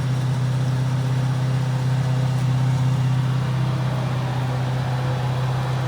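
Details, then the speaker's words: 1977 Lincoln auction find, not run in decades, first running heard at the exhaust out back: deep steady V8 burble about four beats a second, very quiet, only a minor pop that then stopped; normal idle. "Now, you can tell a lot from an engine from the exhaust. If it's popping, I don't hear it. If it's sucking in and pushing out, this has almost perfect the most minor of pops, which you got to expect."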